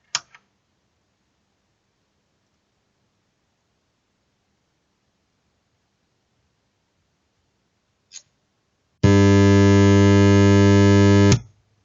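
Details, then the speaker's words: Amfiton 002 amplifier at switch-on: after a click, loud steady low hum in the left channel, likely failed filter capacitors; loud mains hum. "насушим вот такой гул в данном случае скорее всего не годная вот эти емкости либо эти либо эти в моем случае это левый канал если вы слышите именно такой звук скорее всего это емкости"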